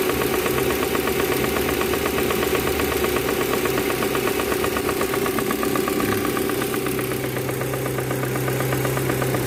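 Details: Proton Campro engine with faulty intake manifold flap (AIFM), fix is manifold adjuster kit replacement; rough uneven idle with fluttering mid-pitched rattle and wandering drone; causes power loss and high fuel use.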